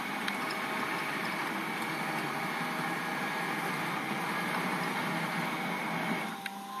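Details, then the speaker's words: DIY CNC with servo motors (48V on 60V motors) and GeckoDrives moved near the motors, jogging X and Z axes: quiet even hum with faint high whir, no grinding; running smoothly, slight vibration the pillow block should fix. "so it's very quiet go ahead make any noise here it's just a little bigger than others a little bit better than that it's actually are running quite well"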